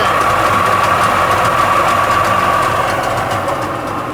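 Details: Sea-Doo XP 720 two-stroke, freshly rebuilt, broken in on conventional oil, driveway run on flush hose, driveline disconnected; loud busy idle with even crackle and steady buzz, no knocks or rattles: normal idle.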